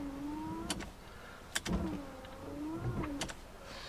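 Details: Ignition on, wipers switched to wash after WD-40 treatment: a whirring motor sweeps back and forth about every two and a half seconds with a sharp thump at each reversal. The wipers still do not self-park, so nothing has changed; the body control module behind the glovebox is next.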